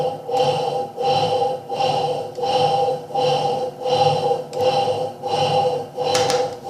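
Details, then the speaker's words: Electrolux Turbo Limpeza washing machine in the workshop, very noisy while washing: steady whining tone under the agitator's swish, about eighty strokes a minute; technician identifies it as motor bearing noise (not mechanism bearing). "esse barulho é um barulho de rolamento de motor eu sempre peço os alunos e os que assistir meu canal para que entendam e que reconheça barulho de rolamento de motor e barulho de rolamento da mecânica"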